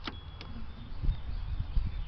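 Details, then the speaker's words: 1994 Harley-Davidson FLHTC with a newly installed direct start button: starter drags the engine over in low, sluggish thumps, never catches, pulling the battery down to 10 volts; owner suspects a failing starter. "No, that battery's running down. Okay, well, it did try to turn though. It's drawing the battery down to nothing."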